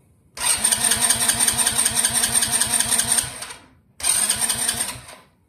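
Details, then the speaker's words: 110cc Chinese ATV/dirt bike cranked after draining the carburetor bowl with fuel petcock off, to clear remaining gas from the jets before storage; two bursts of fast even starter whirr, engine barely kicks over; normal cranking on a drained carburetor. "So what you want to do is turn your machine on, and you just want to give it a couple cranks. You might even hear it kick over for a second."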